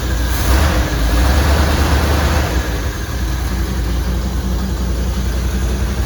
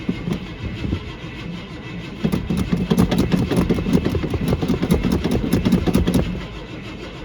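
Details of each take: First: 1979 Suburban big petrol engine, with heater hoses just hooked up and coolant being filled to bleed air: settles from a light rev into a low, steady idle with an even beat, no knocks or misses; running well. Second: 1979 Suburban on a cold day with no working choke, a worn-out starter, new tailpipes and one muffler off; the carburetor is called very bad. Long, laboured cranking with sputtering catches, a brief ragged run, then it dies. Hard starting.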